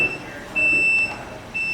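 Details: Transformer fully automatic folding mobility scooter folding after the fold button is pressed: steady high-pitched beeps about half a second long, repeating roughly once a second. This is the normal folding warning.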